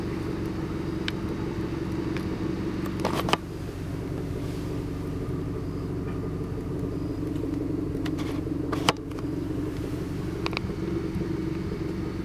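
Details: Mazdaspeed 3 idling with A/C and heat off: low rumble with occasional stumbles and clicks, intermittent rough idle after fuel system flush and new spark plugs following diesel-contaminated 93-octane fuel; owner wonders if diesel damaged something else.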